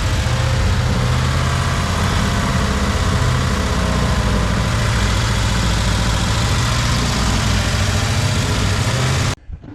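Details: 1976 Jeep CJ5 304 V8, previously locked-up motor, after new fuel filter, hoses, accelerator pump and fresh fuel: deep, even idle with steady beat, no misses or knocks; running cleanly.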